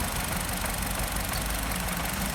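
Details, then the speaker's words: 1.8 16-valve Nissan Tiida engine idling with an uneven, lumpy beat and a skipped pulse; one cylinder dead, confirmed by injector cut test, caused by a failed ignition coil damaged by lack of ignition system maintenance. "mudou nada então a falha está nessa bobina aqui do aporte liga vamos avisar o cliente que também a necessidade se a troca da bobina devido à falta de manutenção do sistema acabou danificando a buzina"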